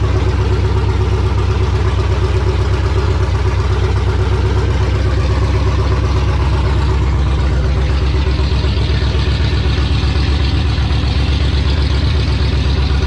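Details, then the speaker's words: 1968 Dodge Charger with Hellcat engine swap, first start with no air filter, O2 sensors unplugged and no cooling: a strong, even low rumble at a fast, steady idle of about four beats a second. High idle; the missing air filter is suspected. "i felt like it was island super high boys it could be because i don't have an air filter on here it's probably detecting that"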